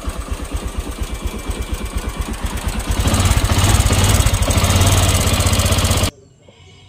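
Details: Honda Click 150/125 scooter engine, later overhauled: hard, rapid clattering knock that grows louder when revved, from a loose connecting rod bearing with piston slap.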